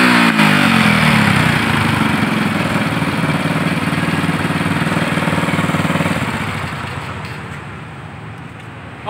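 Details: Motorcycle that had died and would not start, running again, before carburetor tuning: single-cylinder ticking over at about four beats a second, fairly even, then dying away; engine running.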